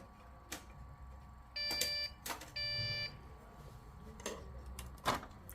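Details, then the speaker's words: Dell OptiPlex with no display and power cycling, RAM removed: two long half-second beeps amid clicks and handling, the board warning no memory is detected. "okay let me just take off the rim and make sure that uh CP is the the P is still detecting that there's no room"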